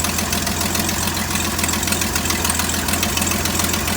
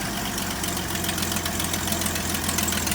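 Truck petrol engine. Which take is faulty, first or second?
first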